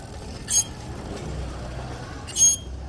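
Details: Motorcycle brake caliper gives two brief high, hissy scrapes about two seconds apart, a loose caliper plate rubbing the disc; pads and other parts had already been replaced and the disc condemned.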